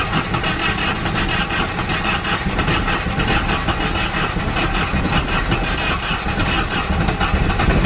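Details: Nissan 240SX S13 after an ECU swap: a lumpy, uneven idle with irregular thumps and stumbles, misfiring badly. The engine had overheated and the coolant is foamy; a blown head gasket is suspected, not confirmed.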